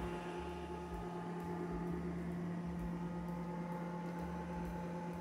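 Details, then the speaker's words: Retro socket 462 PC build in Cooler Master Wave Master case: steady loud droning buzz of many 80 mm fans at full speed, not connected to fan controller, side panel on helps slightly. "like some sort of Appliance with all those 80 millimeter fans buzzing away in there that's crazy"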